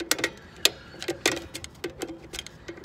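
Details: Dexter 5200 lb trailer axle brake job: crisp, even ticks about every half second as the star-wheel adjuster is turned while the drum spins, until the shoes just touch; normal adjuster clicking. Readjust after the first 100 miles.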